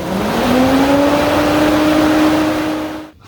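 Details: Junkyard Taurus electric fan on a Fox Body Mustang, wired with a BMW dual temp sensor and Volvo relay, tested on the white high-speed trigger: whir climbs as the motor spins up, then holds steady and smooth, normal high-speed operation.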